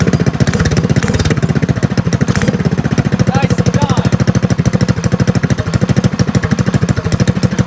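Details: Drift trike small engine with a new starter but a weak battery (about 70 cold cranking amps), after a knock fix: strong, even cranking catches into a steady low thumping run of about three beats a second. A healthy start.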